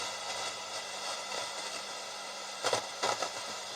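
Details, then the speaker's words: Roberts R707 radio that works only on FM: constant hiss with crackles and dropouts whenever the board is moved or tapped. Suspected loose connection, dirty switch or broken track. "still so doc still got a loose connection somewhere to be dirty switches"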